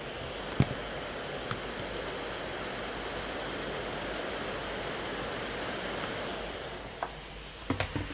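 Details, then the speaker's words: Late 2013 15-inch MacBook Pro Retina running Geekbench OpenCL test, held up to the microphone: steady loud airy fan rush without whine or rattle, laptop overheating and running hot under heavy load. "yeah, this computer will overheat and will like do a lot of fan noise, but I don't know if it annoys you."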